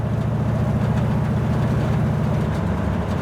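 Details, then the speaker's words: Roadster with an 8-inch Ford rear end on a test drive after the gears were swapped from 2.70 to 3.00, at the speed where it used to howl (about 35 mph and up): steady low drone with no whine or howl. Differential now quiet. "This is the speed in which I'd hear that howl. I'm not hearing"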